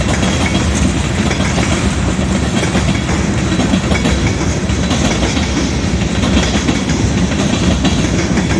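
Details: Southbound CSX freight at South Beech Street crossing, Oxford, OH, wagons passing at speed: loud continuous rolling roar with rapid clattering; onlookers suspect a bad spot in the track, possibly a wide rail joint gap.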